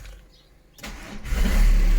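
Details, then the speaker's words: 2008 VW Golf 5 1.9 TDI 90 hp, first start after flywheel and clutch replacement: brief starter crank, then the diesel catches and settles into a steady low rumble; clean start, no knocks or grinding. "déjà je démarre ça c'est plutôt cool"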